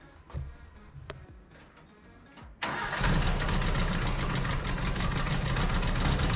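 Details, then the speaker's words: 1968 Datsun 2000 Roadster first startup after troubleshooting, cleaning and distributor timing: a few clicks, then fires at once and holds a steady, even idle with no knocking or ticking; normal, healthy idle. "I didn't hear any knocking or weird ticking"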